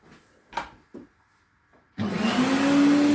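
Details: Restored Electrolux 350E vacuum cleaner whose motor is in poor condition inside, running with a steady vacuum rush and a thin, constant whistle on top from start-up; the whistling is likely air leaking past worn parts, with the exact source unconfirmed.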